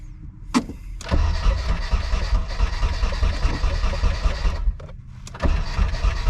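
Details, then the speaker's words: Nissan S13 240SX during an engine/dual-cam swap attempt. Repeated cranking bursts with a steady churning rhythm but never catching. Crank no start: the distributor rotor sits past cylinder one, so distributor timing is incorrect. "it's past cylinder one so we have some distributor timing to set up here"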